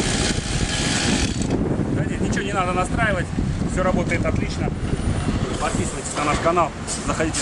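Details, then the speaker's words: Two-stroke grass trimmer after replacing a damaged crankshaft seal on the starter side, which had caused a crankcase air leak. It now buzzes at a steady, even pitch with no surging or hunting; it runs normally. "сейчас мы уже попробуем заведен послушаем как работает двигатель"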